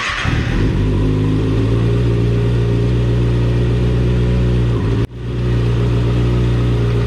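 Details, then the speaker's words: Motorcycle started in gear after plugging in clutch/in-gear start switch; fires and runs steady, even low beat with brief blip. Finding: normal running. "I'm going to plug this in hit the start lever and it's gonna start"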